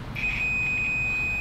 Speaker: the reason for that is that when you have a good connection the meter makes a really high-pitched annoying beeping sound